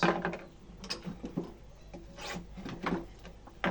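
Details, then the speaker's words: Old Singer sewing machine with a foot treadle, during restoration: irregular wooden rubbing and creaking as the treadle rocks, noise heard even without it turning properly; to be fixed. "এখন পাদানিটার একটু সমস্যা, এই প্রচুর শব্দ হচ্ছে, ঘুরতেছে না কিন্তু শব্দ হচ্ছে, এই শব্দটা রাখা যাবে না, এই শব্দটা মেরে দিতে হবে।"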